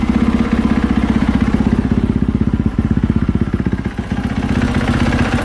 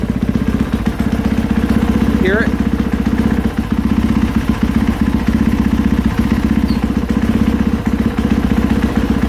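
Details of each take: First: 2020 KTM 450SXF after replacing worn clutch-area rubber dampeners, idling with the clutch engaged: a steady, even single-cylinder thump without the earlier clunks and taps. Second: 2020 KTM 450SXF idling, clutch pulled in and let out: a light, uneven tapping or clunking from the clutch area, caused by worn rubber clutch dampeners.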